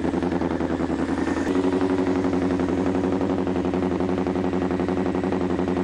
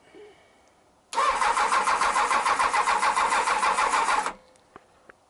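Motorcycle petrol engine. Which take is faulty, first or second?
second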